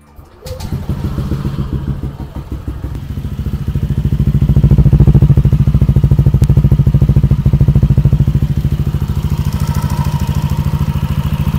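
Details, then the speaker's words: Modified Yamaha Aerox scooter, before teardown, idling and lightly revved: a fast, light ticking rattle on the exhaust beat; owner believes a worn-thin cylinder block is letting the piston rock, suspected piston slap. "kalau kalian dengar ada suara ngelitik ngericik e Gua yakin itu dari suara blok sehernya yang udah menipis jadi sehernya itu goyang-goyang e jadinya bunyi ngelitik kayak gitu"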